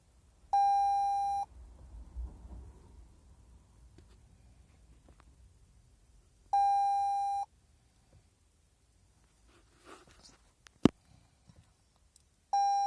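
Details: Flat battery on a 2019 Toyota C-HR that won't start: a steady mid-pitch chime about a second long repeats every six seconds in a quiet cabin, with Braking Power Low, Brake Override and Drive-Start Control malfunction messages and no low-battery light.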